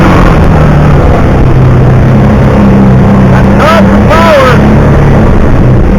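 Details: 2009 Kawasaki Teryx 750 fuel-injected, after fix for warm backfiring and power loss (nail inserted in center section): steady, even low engine drone, no popping, stumbling or misfire — runs perfect.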